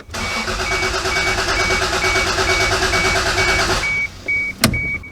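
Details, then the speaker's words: MK3 Supra after sitting for years, cranked on jump box after fixing loose positive terminal: steady starter cranking about three turns a second with no firing; no fuel delivery suspected, fuel pump not heard priming. "it really doesn't feel like i'm getting any fuel still i'm not hearing the not hearing it prime either"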